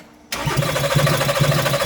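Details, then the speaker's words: 2014 Porsche Cayenne (92A) that cranks but won't start, throttle opened while cranking; starter spins with steady pulsing rhythm, never fires, cranking note sounds wrong; throttle body checked good, cause unknown. "no no the way it sounds i don't like it the way it sound i don't like it listen to the sound throttle body is good"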